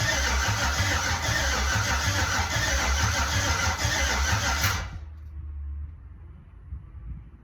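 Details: Jeep with an LMG LS swap and replacement heads: starter spins the engine steadily at about three turns a second for nearly five seconds without firing. Owner suspects a harness meant for an LC9, or no signal to the ECU.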